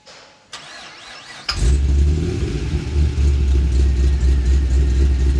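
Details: VE with LS3 and M6 manual, Chopper Reid camshaft, CNC heads: short crank then a deep, choppy, loping idle that stays steady; normal lumpy cam idle.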